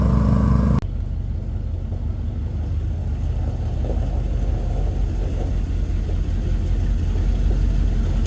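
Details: Chevy 350 V8 square-body 4x4 truck, started after quick fuel line replacement (new hoses had been squirting fuel): settles into a deep, steady, even rumble at idle with no misses or knocks; normal idle.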